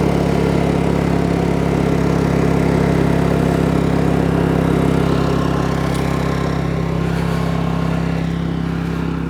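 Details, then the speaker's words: New Honda EU2200i inverter generator running the RV air conditioner, boost off: steady, even engine hum holding constant pitch under load, no surging or hunting; running healthy and barely audible. "That is awesome. I'm not gonna lie, I'm not mad at it. It is so good. You can't hear the generator at all."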